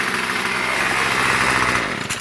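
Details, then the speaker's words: Murray M2500 bent-shaft two-stroke weed trimmer, curbside find, started holding the throttle as instructed: a high, buzzy scream held flat out at full RPM for two seconds, then dropping away. "it tells you to hold the throttle when you start it which uh uh doesn't doesn't seem like a good thing cuz uh when you do that uh it starts at full RPM"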